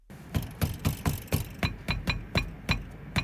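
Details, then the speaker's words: Peugeot 308 T9 SW HDI with a front knock heard near the windscreen. Tapping the wheel gives sharp, hollow, uneven knocks about three to four a second from loose brake pad guide (anti-rattle) plates; replacing the plates removed the knock entirely. "Ещё раз чтобы понять что Беда с огромной вероятностью в них просто постучите по колесу даже не снимая его не обязательно делать это по суппорту Если слышите похожий звук"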